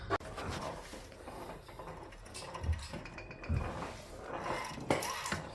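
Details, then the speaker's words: 2020 Skoda Kodiaq, nearly new: dull irregular thuds in the cabin as the steering is worked, a steering rack knock; the rack was removed, adjusted and internally modified, after which it was silent. "Кодиак, Шкода, свеженький. Надеюсь, слышно. Стучит, ужас."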